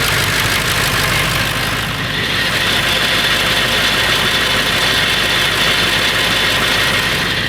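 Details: Late 1999 Ford F350 7.3L Powerstroke diesel at idle: a loose, fast rattle, about four per second, over the clatter. It is louder under the truck. The owner wonders whether it is the flexplate or the engine; cause unconfirmed.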